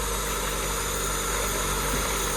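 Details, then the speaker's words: Honda Civic 1.4 iES (D14) engine, first start after a rebuild for oil burning with new piston rings and timing belt, valve adjustment still pending: smooth, steady idle with an even hum and no knocks or misses; running healthy. "Kuran çarpsın çalışıyor. Bak yağlama böyle oluyor işte."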